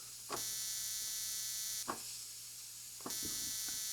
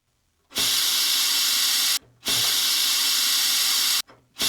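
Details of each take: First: 1950s spark plug cleaner and tester with coil, capacitor and condenser spark circuit: thin steady high buzz in bursts while button held, spark not visible in mirror; very weak spark, cause unclear. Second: 1950s Vixen spark plug cleaner and tester, sandblaster test on a grimy plug behind a homemade guard: sharp, even hiss blasts of about 1.5 to 4 seconds with clean cutoffs; the blaster works and cleaned the plug.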